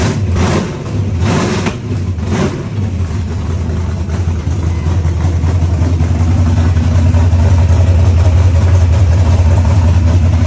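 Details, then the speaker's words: Malibu small block at first fire-up, ignition timing and oil pressure checked, warming up to temperature: a few starting blips, then settled, even low rumble at idle with no knocks or misses; healthy engine. "the little small block fired right up and I double checked the ignition timing and double checked oil pressure and let the engine come up to temperature"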